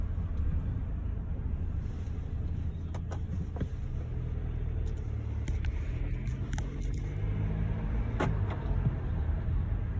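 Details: Mercedes-Benz GLC, approved used, under 30k miles: low road rumble, then a sharp, steady high-pitched squeal for about five seconds under light braking at low speed in cold weather. Mercedes calls it not a fault; the fix would be front and rear pads.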